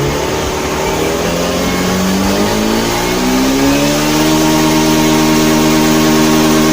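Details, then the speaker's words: Honda Beat FI scooter after reset with jumper to fix bogging on throttle: engine climbs smoothly from idle, pitch rising cleanly without bogging; normal throttle response, fault traced to the TPS sensor, fuel pump pressure only slightly weak. "pelan-pelan Oke berhasil ya jadi permasalahannya ada di sensor TPS"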